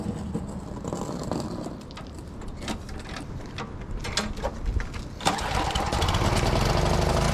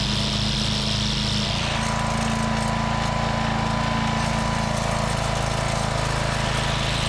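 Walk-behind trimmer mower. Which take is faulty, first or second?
first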